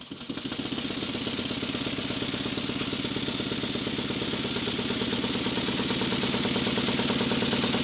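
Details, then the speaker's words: Stuart model beam steam engine, after minor rework and corrected valve timing, on a high-speed test run: quick, even, light chuffing beat that picks up slightly with speed, quiet with no knocks; normal running. "I think you'll hear that it's running fairly"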